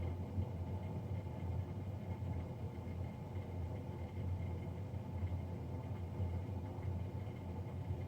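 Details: Navien NCB-240 boiler, serviced Jan 31 2020 and recorded Feb 3 2020: steady, deep droning hum holding constant without pulsing, combustion fan much louder than a healthy boiler blower should be.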